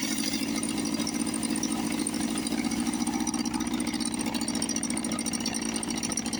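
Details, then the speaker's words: 1954 Johnson 5.5 HP outboard, probably not run since the 1960s, first run on choke. Steady, even buzzing two-stroke run holding one speed without misses or stumbles. Owner suspects gear oil in the water. Normal running. "Oh man, take that you mosquitoes. What do you think? Probably not run since the 60s."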